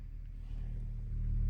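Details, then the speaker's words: Tesla Model 3 Highland driver door after the rattle fix and Focal speaker install: woofer driven alone with a sine wave from service mode, volume rising, low steady tone with no buzz or vibration from the door panel. "you can drive just that one speaker and there are no vibrations in my door anymore."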